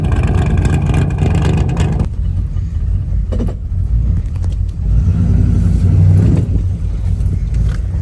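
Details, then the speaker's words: 1985 square body Chevy with swapped small-block 350: deep V8 rumble rising and falling with throttle blips, no pops or bangs; problem seems to have disappeared. "that problem has seemed to disappear so I think that's what it was then"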